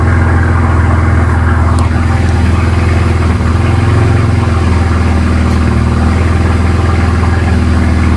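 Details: BMW N54 first start after walnut blasting and new gapped spark plugs, not run in a while, warming up: steady, even low idle with no misses, knocks or ticks; normal idle.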